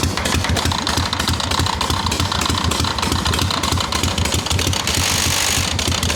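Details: Harley XLCH chopper, bench-running, not yet ridden: loud uneven V-twin rumble with a harsh scraping rasp on every revolution. Owner says something's rubbing inside the clutch. Cause unconfirmed.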